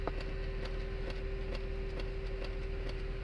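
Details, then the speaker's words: High-mileage 2003 Honda Accord V6 dash CD player, after a transmission replacement. Light ticks about three per second over a low hum; it keeps clicking without playing, and the owner blames a CD laser cleaner disc. It eventually quits. "damn woman stuck a cd cleaner in there clean supposed to clean the laser eye messed it up real bad"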